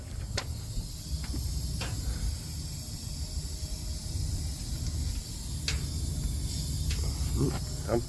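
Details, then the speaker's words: Freightliner semi truck, engine running: a steady airy hiss over the low diesel rumble that never stops, heard when the dash knob is pushed in. Parking brake valve suspected; the leak was in the low-air-pressure brake switch under the dash, and the valve was replaced. "a little air leak so it's coming from up there too though when you push that knob in yeah"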